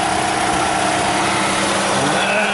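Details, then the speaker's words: 2014 Toyota Camry SE with the 2.5 four-cylinder, started after an oil, oil filter and air filter change, maintenance light still on while checking for leaks: an even, steady idle with a smooth hum and faint whine, no knocks or misses. Runs normally. "Okay, we'll start it up. Okay, all we have is a maintenance required light, and we're going to be turning that off in a minute. Looks good. Let it run."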